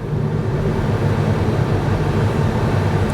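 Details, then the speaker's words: 2023 Kia Niro, 104,000 miles, driving after dual clutch transmission replacement: steady low drivetrain hum with no scraping or grinding, earlier loud noise gone, shifting good though one harsh downshift; normal transmission operation. "Okay, I can already tell the noise is gone cuz that thing was loud. I mean, it was really loud. Shifting good."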